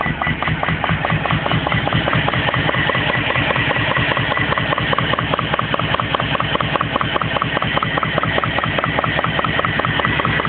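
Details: BMW E34 petrol at idle, shortly after replacing intake manifold, throttle body gaskets and o-ring: rough uneven idle with steady knock about 1.5 per second from driver's side engine; owner suspects something in a cylinder or gummed plugs.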